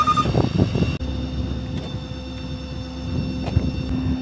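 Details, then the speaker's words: 2019 Ford F-550 bucket truck, 91,000 miles, Altec AT41M boom with material handler: engine idling with park brake set, then PTO switch on and the hydraulic PTO pump engages with a steady low hum, running normally. "In a minute you hear the PTO pump turn on. There we go. Now we're live."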